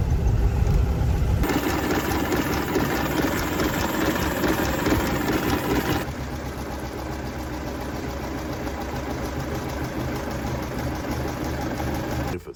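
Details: Austin 7, not run since 2007 and previously seized, first start with fresh petrol and water: cranks, catches and settles into uneven but steady low chug without heavy knocking; normal idle.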